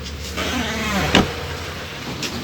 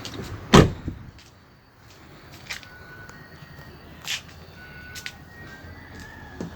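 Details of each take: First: Mitsubishi Pajero car door swinging: wavering, rising creak ending in a thud from dry, unlubricated door hinges, before greasing with multi-purpose grease fixed it. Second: Mitsubishi Pajero door opening after applying Waxpol AP3 multi-purpose grease to the hinges: one sharp unlatch clunk and a quiet swing, the earlier squeak gone.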